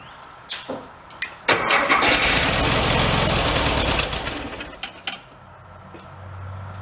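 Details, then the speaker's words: 1974 VW Thing with 29k miles, sat at least six months: about two and a half seconds of even cranking without catching; owner doubts it is out of gas, possibly still filling the float bowl; cranks but won't start. "I wouldn't think it's out of gas but could be trying to fill up the float ball"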